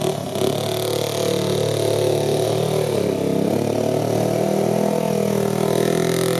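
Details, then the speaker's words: 2002 Yamaha Breeze 125 quad after top-end rebuild (new valves, piston rings, gaskets) following a bent valve from over-revving: fast light ticking over hunting engine note, won't idle; owner suspects timing chain, then finds a blown head gasket leaking oil. "so the quad is running and riding it's making that noise and I won't idle"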